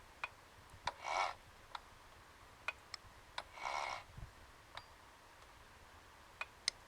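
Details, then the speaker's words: Royal Enfield 500 Machismo electric start, primary cover off, crank turned slowly by spanner: sharp isolated click just after inlet cam reaches full lift, seeming to come from elsewhere; valve train click from cam follower play. "that click that sounds for all the world like it's coming from around here somewhere but in actual fact I've checked"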